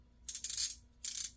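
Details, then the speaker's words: Garcia Mitchell 402 Salt Water vintage fishing reel being reassembled after repair, anti-reverse pawl left unlubricated on purpose; bright, crisp bursts of rapid clicking as the pawl rides the ratchet: a normal anti-reverse click. "I don't put any lubricant on there because I like to hear the loud click I love the loud click"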